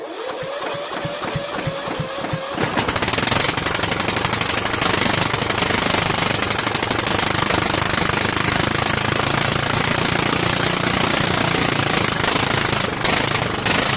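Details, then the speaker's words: Murray 14.5 hp 42-inch widebody LT lawn tractor, single-cylinder engine starting after fuel was restored: harsh, rapping, very loud exhaust crackle because the muffler is detached from the engine and needs reattaching. "as you could tell why it was so loud is because this this muffler is it's not even in the hole you know what I mean so the muffler needs to needs to be attached to the engine"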